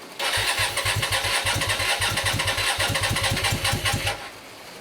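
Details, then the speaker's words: Hyosung GT125RC, first start in two years after ultrasonic carb cleaning and wiring changes, no airbox, on choke; loose, uneven popping about two per second that never settles, sounding like only one cylinder firing. Cause suspected, not confirmed. "something's happening folks something is only one cylinder to me"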